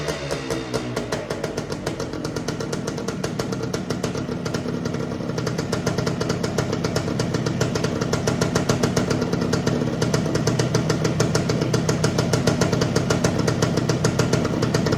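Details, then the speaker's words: Suzuki TS185 two-stroke barn find, sat 25-30 years, first run after clearing out: even crisp popping at steady fast idle, no misses or knocks; engine sounds tight, needs fine tuning, some oil or fuel leaking near exhaust. "Well, I'm going to call that a success. It sounds good. It's going to take a little bit of fine tuning, but the engine sounds tight."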